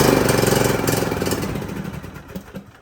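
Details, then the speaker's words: John Deere LA125 with a 21 hp Briggs & Stratton engine, which the customer says has timing off: it catches and sputters roughly, then fades out without holding a run. The mechanic doesn't think it's timing and plans to clean the carburetor. "does that sound like timing Joe no me neither anyways I think we're just gonna have to clean the carburetor on this one"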